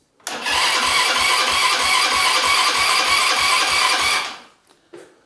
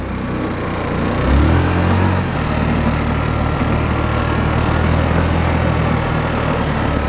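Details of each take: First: Buggy engine freshly installed, cranking: starter spins it at about three compression beats a second for four seconds with no firing; carburetor completely empty, only drawing fuel under vacuum; starter speed possibly too low. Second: Small Chinese engine newly fitted to a restored budget buggy with a centrifugal clutch, still being run in: steady, even drone with a firm low beat, no clicks or knocks, and the differential silent; normal running.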